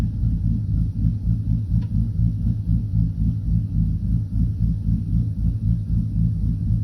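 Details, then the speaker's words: 2012 Silverado V8 with a bigger cam and a Circle D converter, AC off, target idle speed trialed between 700 and 780 rpm and settled at 770. A deep, choppy lope about four beats a second: sounds good, normal cammed idle. "actually sounds good where she's at so we'll probably leave it at the 770 that i got set at right now"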